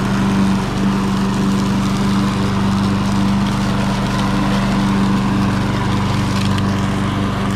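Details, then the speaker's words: Troy-Bilt TB280ES self-propelled mower, Briggs & Stratton engine, bag off, dead battery so no electric start, primed with gum cutter: a steady, even drone with no stumbles. Hard to start; its carburetor has no choke or prime, and a clogged needle is suspected. Normal running. "It seems to run okay. It is a little hard to get started, but it's got that weird carburetor that has no choke and no prime."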